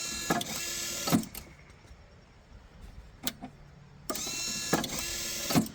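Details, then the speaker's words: iDog tennis ball launcher converted to relay logic after its microprocessor burned out, with a 100 µF capacitor added so the relay latches: two short motor whirs ending in crisp relay clicks. The feed cycle now runs properly. "So now with the capacitor added in there, you can see the mechanism is working perfectly now."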